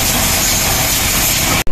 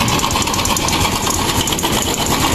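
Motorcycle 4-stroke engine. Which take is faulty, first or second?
second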